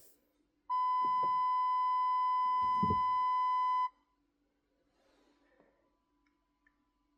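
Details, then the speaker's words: Range Rover L322/L320 parking aid after a faulty sensor was swapped for a new one and the fault codes were reset. One long, unbroken high beep of about three seconds in a quiet cabin shows a fault is still present; the old sensors were found ticking. "I've just listened to these, and you probably can't hear it on camera, but they're ticking. So ticking, ticking, ticking."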